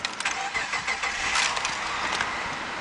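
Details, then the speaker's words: 2004 Subaru Outback, 3.0 EZ30 H6 boxer, automatic, 205,663 km, front-end damage: brief cranking, then the engine catches and settles into an even, steady run with no knocks or rattles; normal start. "Fires up there."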